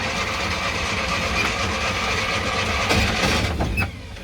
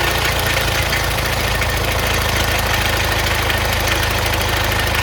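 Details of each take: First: Classic Fiat 500 after electrical problems were fixed, cranked with no fuel and then with quick-start spray; steady cranking churn, now spinning correctly, with a few stray catches that never take; cranking but not starting. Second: Classic Fiat 500 air-cooled engine first running after electrical problems were fixed, fed from a jerry can: steady, even putter holding a constant idle with no misses or knocks; generator and oil lights out, so charging and oil pressure present.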